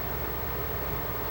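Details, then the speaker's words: Xbox 360 with fans getting progressively louder after power-on: steady loud fan roar and hum, far louder than normal though exhaust air not really hot; CPU probably raising fan speed as thermal sensors report rising temperatures. Cause suspected dirt or dust-filled heatsinks. "this is pretty loud I mean normally Xboxes don't get this loud air isn't really hot I mean I guess the fan is doing its job but this behavior is not normal"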